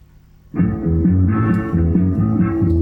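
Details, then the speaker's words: JBL EON 515XT powered speaker playing music: dull, boomy, no top end, only the bass speaker working, treble control has no effect; horn driver or its amp suspected dead, not confirmed. "well I can tell you only the bass speaker is working"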